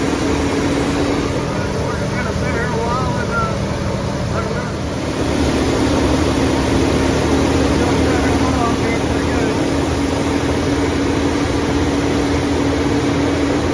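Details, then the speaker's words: 1988 big-block 454 V8 in a 35-year-old RV, running on a 27° morning during cam break-in. A steady, smooth raised-rpm drone with no knocks or misses. Normal fast idle, though break-in was cut short by overheating and the owner suspects a bad radiator. "but we didn't make it through the Breakin period and uh it's it's sounding pretty good"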